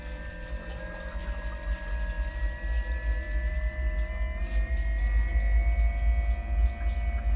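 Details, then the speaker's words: Newly installed Hooker pump with new sea chest feeding a boat's air-conditioning manifold, just switched on at the breaker: steady low hum rising slightly as it comes up to speed, moving way more water than before; even flow, no grinding or cavitation. "that sounds like that's moving way more water than it was before"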